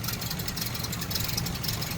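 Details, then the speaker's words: 1936 Rolls-Royce 20/25 straight-six idling: very quiet, soft even idle with a light ticking hiss on top, no knocks or misses. Autovac fuel pump fed by exhaust vacuum. Normal, healthy idle. "Just so quiet. I can't get over just how quiet this thing is."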